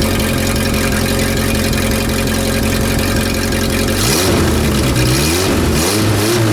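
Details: Renault R10 after 20+ years sitting: even steady idle then two clean rev rises and falls, no misfire or stumble; no blue exhaust smoke, healthy.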